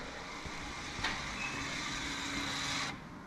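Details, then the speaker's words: VW Tiguan electric parking brake caliper motor run from a laptop after caliper replacement: brief high-pitched whir about two seconds as the piston extends to the pad, stopping cleanly at pressure; healthy operation. "there's a motor in it operates the handbrake it basically the motor turns and the piston comes out then obviously it gets reached to the pad and it stops when it gets the pressure"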